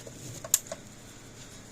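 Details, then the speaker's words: PEL 609 electric fence charger tested across full-power and ground terminals: a few sharp, sparse ticks, clicking but weak output, measuring only 2.9 kV where 6 kV plus is expected. "so we're going to test across there and show you that it's not putting out it's clicking it's not putting out very much"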